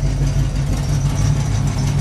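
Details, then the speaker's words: 1980 Zephyr revived after sitting in a field, at idle with slight rev: loud deep idle with rhythmic exhaust puffing; owner suspects leaking H-pipe near the catalytic converter, not confirmed. "It's got a little exhaust leak, I think, in the H pipe. See if I can stick you down here. Hopefully you can hear that."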